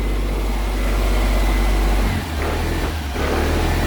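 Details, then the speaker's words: Triumph 2000 low on fuel, investigation under way: heavy low rumble sags and stumbles around two seconds and never picks up; engine dies on any throttle or when the choke is turned off. "Still, if I give any throttle, it just dies. Well, I actually made the car worse than what it is. Yeah, if I put the choke off, that's it, it's gone."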